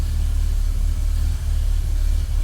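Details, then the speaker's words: 1965 Ford Galaxie Hardtop V8 after the exhaust leaks were fixed and a new transmission installed, not yet warm: deep, even rumble with a slightly tinny header edge and no leak puffing; an unlocated squeak/whistle remains. "Does sound good. Well, it sounds like it did before without exhaust leaks."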